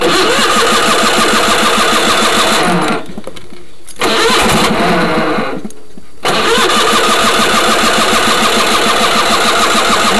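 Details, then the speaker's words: Craftsman GT6000 1991 lawn tractor, 20 hp Onan twin, test mow after deck lift eyelet bolt welded: cranks, pauses, cranks again and fires into a steady, even twin-cylinder beat; normal start and idle. "Come on. Sounds good."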